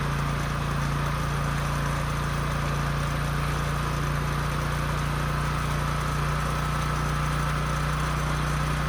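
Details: Husky portable generator that sat 5 years with bad fuel and a leaking gas tank, after carburetor cleaning, fuel-flow fix and a new governor spring, run outside: steady, even drone with no surging, output close to 61 Hz, running properly.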